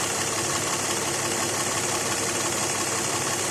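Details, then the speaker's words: 2006 Lexus ES330 3.3 3MZ-FE V6 idling normally with AC off: smooth, even soft hum, no knocks, grinding or squeal; a metal-on-metal noise near alternator/AC compressor appears only with AC clutch engaged. "Now, this is how the engine ordinarily runs. Notice how quiet and civilized it sounds."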